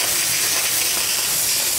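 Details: New Rocket Espresso Stone espresso machine, just unpacked: strong, steady high steam wand hiss with no sputter or pulsing; full, even pressure.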